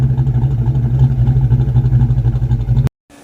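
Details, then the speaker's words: 1982 Ford Mustang GT V8 with new Edelbrock setup idles with an uneven, loping pulse about four beats a second and low rumble; smoothest it has run yet but still not running right, some oil smoking on headers. "At least it's running. It's not running well, but it's running."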